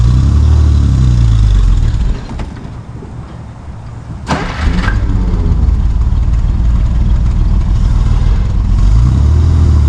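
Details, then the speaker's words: 1955 Plymouth Plaza wagon, formerly locked-up engine, first drive after 42 years, in first gear: engine runs low and rough, dies for about two seconds, then catches on restart; keeps stalling. Owner suspects the brakes are too tight. "I'm not really sure what's going on. It keeps on dying. Yeah, it just keeps on dying."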